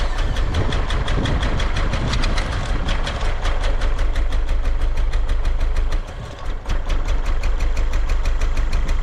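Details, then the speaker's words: 1999 Honda Accord, just under 200,000 miles, misfire codes P1399, P0303, P0301 after cold snap: uneven stumbling idle with irregular low thumps and exhaust dropouts; a broken vacuum hose found, coil suspected, cause unconfirmed. "but that shouldn't make it idle bad look at the Idol's terrible that one made it spit and sputter"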